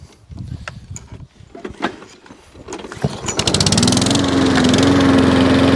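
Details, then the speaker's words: Warm Wolf lawnmower, about 21-inch, restarting after cracked primer bulb found; fires after a few pulls and runs at a steady, even speed with no hunting or surging; normal warm start. Drive not working. "Right, so now it's a bit warmed up. Will it now start off its own back with no hunting?"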